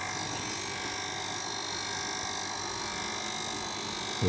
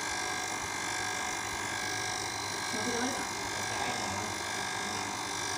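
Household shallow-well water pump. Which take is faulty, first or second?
first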